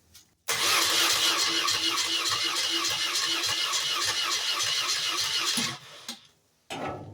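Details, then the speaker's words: 1986 BMW R80 custom bike in very cold weather after valve cover work: brisk, fairly even cranking for about five seconds without catching; the owner suspects it needs more fuel, notes a carburetor leaking fuel, and tries the choke. "I think we need more gas. I did notice this carburetor is leaking a little bit of fuel. That could be part of our problem."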